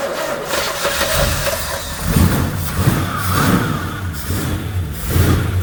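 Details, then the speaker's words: 1966 Chevy Impala V8, sat about 24 years, first runs at rough idle: thin whine rising briefly over the engine from the power steering pump, fluid found low. "Is that quick noise the bell? No, that's the power steering. It's clearly is that low."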